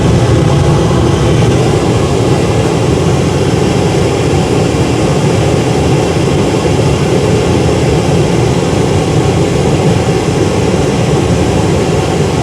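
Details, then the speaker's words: Riello R40 G10 diesel oil burner, bench-run after removing a dirty filter; it had simply run out of diesel: a steady even roar of fan and flame over a smooth pump hum, no surging or sputter. Firing normally. "Well, that was an easy fix. It ran out of diesel."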